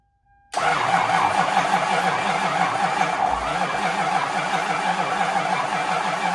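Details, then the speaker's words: Lexus SC 400 won't start: engine turns over slowly and laboured, about three beats per second, without catching, negative battery cable smoking. Failing starter. "uh my one Z here uh it would not start and when I watch back the video it was barely turning over and the negative battery cable was smoking"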